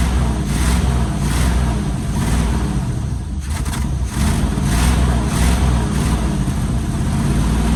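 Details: 1973 Chevy K5 Blazer 350 V8 just started after sitting about 30 years, packed with rat debris: a loud, lumpy idle surging and dipping about every second as it spits out junk and burns acetone off the manifolds, before settling.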